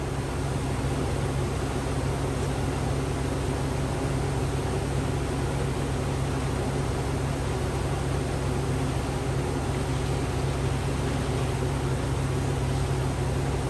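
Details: 2004 Chevy Avalanche 5.3 V8 started after a water pump replacement and coolant refill, still cold while warming up; even, low idle hum holding steady with no knocks, ticks or squeals, healthy idle.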